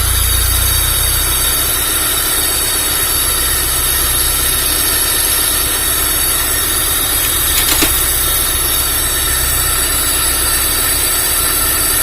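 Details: Freshly assembled Honda Civic Genio engine running during air-fuel ratio adjustment: steady even running about twelve seconds with a faint high whistle in the background, no knocks or misses.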